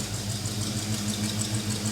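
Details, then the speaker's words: Small-block Chevy V8 in a 1956 Chevy long roof, after sitting two years, cold evening: uneven idle with light rapid tickety-tick clatter over exhaust rumble; owner suspects exhaust clatter from below rather than lifters. "it sounds to me more like an exhaust clatter down there the tickety tick"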